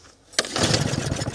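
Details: 2007 Snapper self-propelled lawn mower with a rusted deck, carburetor primed and no ether available: a sharp cord pull, then the engine catches and sputters unevenly, struggling to pick up. Hard starting.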